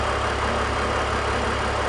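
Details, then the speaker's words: BMW E46 330i/325i idling normally after fixing a vacuum leak; smooth, even idle with steady low hum, no hunting, hiss or misfire; fuel trims returning to normal. "so there we go I'm going to plug the two back in fix the vacuum leak come way down Fel trims are returning"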